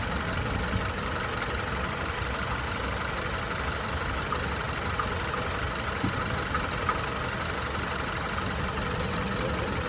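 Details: Chevrolet GM truck at 36,000 miles, steady idle: fast, even tapping runs under the engine drone without letup, a knock from inside the engine.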